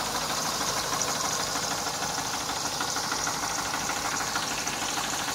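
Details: 1990 Mercedes W124 E230 M102 engine at idle: rapid, fairly even light knocking about three times a second over the engine note; engine knock, source undetermined.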